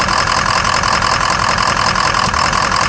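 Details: 2003 Ford Excursion 6.0 diesel at idle: clatter with an occasional stumble, intermittent misfire; #5 injector suspected, showing low voltage and poor cylinder balance/contribution, small blue puff of exhaust smoke each time; FICM voltage good.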